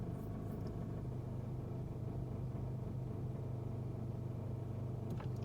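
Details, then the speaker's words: 2018 Nissan Sentra SV, 46,000 miles, in drive stopped or under 5 mph with foot on brake: low, uneven droning rumble with faint buzzy rattle/vibration; highway driving is quiet; cause not identified. "highway driving is perfectly quiet it's only when you're almost stopped or stopped with your foot on the brake"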